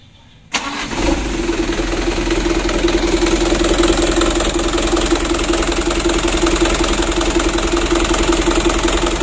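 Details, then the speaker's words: 2010 Mitsubishi Canter 125 PS diesel at idle before plunger adjustment; catches and settles into clattering, uneven shaking idle, many cylinders not firing evenly; rough idle from uneven injection pump plunger setting, to be evened out. "Ayo kita matikan dulu dan kita setel kita pergeseran punya supaya goyangnya itu normal ya ya Intinya jangan sampai terlalu parah goyangnya begitu ya"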